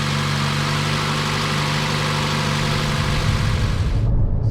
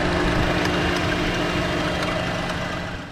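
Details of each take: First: 2014 Chevy Cruze 1.4 turbo petrol idling smoothly after replacing the cylinder 4 coil pack for a misfire; no misfires yet, but not warmed up. The miss appeared when warm and damp, and corrosion is suspected. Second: 2014 Chevy Cruze 1.4 turbo four-cylinder idling with cylinder 4 misfire shown on scanner; sharp irregular snapping/arcing over the hum from suspected failing ignition coil pack, worse in damp weather; chirping noise possibly PCV valve in valve cover.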